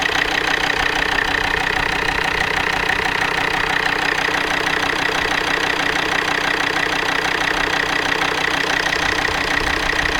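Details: Volvo D5 diesel, cold idle: steady, even tapping about three times a second; several repair shops have failed to identify the knock.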